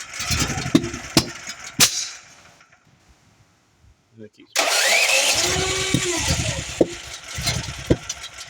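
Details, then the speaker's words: Duromax generator running on propane, intermittent trouble: several cranking bursts, a pause, then it catches with sharp backfire pops; backfires blow the air filter lid off, owner checks the choke and notes a sometimes sticking solenoid, red flashing start light, no error message. "Not serious backfires. That's a pretty bad backfire."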